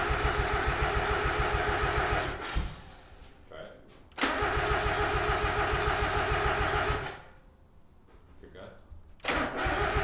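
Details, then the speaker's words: 1.8 Mazda Miata with fuel and spark confirmed, timing possibly off, clogged injectors suspected: three bursts of steady cranking at about 3.5 beats per second, each dying without catching, with heavy smoke; cranks but won't start. "so they were starting it over and over and couldn't get it to start we're still trying to figure it out it pranks and hella smoke comes out of here but still nothing"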